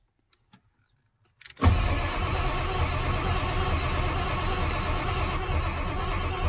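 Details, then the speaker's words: 1997 Ford F350 7.3 Powerstroke with the ICP sensor unplugged to force limp mode, after fixing a no-power fault to the PCM. Steady starter churn for about five seconds, turning evenly but never catching; cranks, no start, with the ICP circuit suspected. "okay nothing so I'm going to uh clear these codes and get some fresh information here then we'll go from there"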